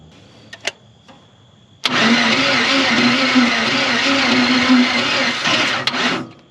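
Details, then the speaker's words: Chevy 350 V8 in 4x4 Ford Ranchero parked 30+ years, bad head gaskets, rusty cylinders, some ATF in it: rough uneven cranking with ragged hiss and irregular puffs, sounds blown out everywhere, won't catch; timing suspected off. "oh come on sweetheart why does it still sound like it's blown out everywhere"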